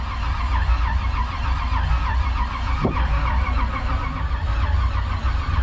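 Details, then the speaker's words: 1968 Chevy Bel Air small block, sitting 8 years, cranked on a jump starter while watching for oil pressure: steady starter-driven churning with an even low beat, no firing; turns freely. "Ooh, she didn't like that, did she? I'm looking for oil pressure."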